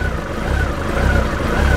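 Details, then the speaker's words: Honda CB1300 just after full rebuild, third or fourth start; low thrum swelling and sagging about every half second, rev counter bouncing, hunting idle as if avoiding stalling; owner suspects idle needs turning up slightly. "She does sound like she's hunting a little bit. When you look at the speedometer, when you look at the rev counter, it is bouncing."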